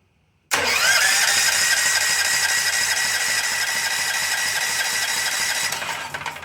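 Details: Chicago generator with a no-start, spark problem, after fitting a new spark plug, choked: one recoil pull spins the engine in a whirring rush that fades with no firing. Cranks but no start.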